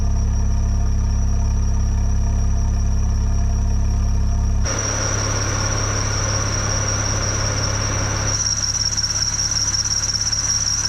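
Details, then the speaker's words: K-swapped supercharged K20 Civic wagon with K24 crank pulley, warm at 188°F, IAT 123, idling about 1,000 rpm; steady unchanging high-pitched whistle over the idle, a slipping serpentine belt that later fixed itself. "I do got to get rid of that belt whistle"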